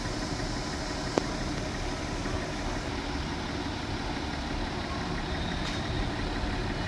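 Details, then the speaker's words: An Audi Q3 diesel idles with a hard, rapid knock over its clatter; injectors three and four leak because their bolts are damaged. "ाडीमध्ये काय problem आहे मित्रांनो गाडी locking करते खूप major प्रमाणात आवाज आहे लॉकिंगचा तर तुम्ही बघू शकता तीन नंबर आणि चार नंबर हे इंजेक्टर आहेत ना मित्रांनो लिकेज आहेत"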